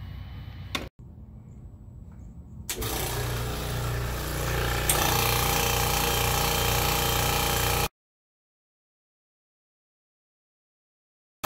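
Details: Smith & Loveless lift station with a Sonic Start Streamline vacuum priming system, after reassembly: a brief click, then the vacuum pump settles into a steady even hum with a quick regular pulse; the solenoid should click open a few seconds after pump start; normal.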